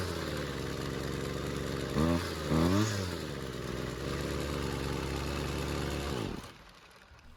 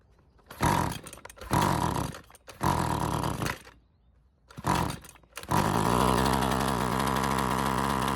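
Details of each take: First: High-runtime, previously worked-on Husqvarna two-stroke trimmer that wouldn't stay running, not a cold start, after L screw turned a quarter turn counterclockwise for more fuel; buzzes steadily, blips up, settles and runs cleanly before shutoff; idle screw still needs attention. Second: Husqvarna two-stroke trimmer with heavy run time and questionable earlier repairs. Plug wire refitted without its boot. After several pulls with no choke and full throttle it catches and runs on its own with a rising buzz, then stalls. Fuel system suspected, not confirmed.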